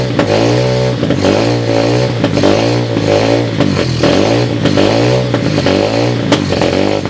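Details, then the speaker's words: 2007 SSR 125cc pit bike after carburetor rebuild (float issues remain), portable 12V GY6 CDI, started with ether: crisp single-cylinder bark blipped up and down, revs climbing cleanly, no rattle or knock; runs healthy. "you it runs I don't hear any bad sounds um which"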